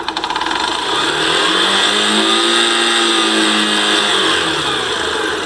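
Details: Yamaha Factor/YBR 125 single-cylinder revving in gear: light metallic rattle that lessens as revs rise; possibly the one-way starter clutch in the electric start assembly; starter clutch rattle.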